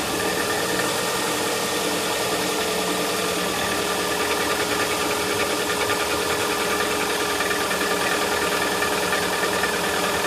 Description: Так стучит двигатель лада веста, запуск при отрицательной температуре.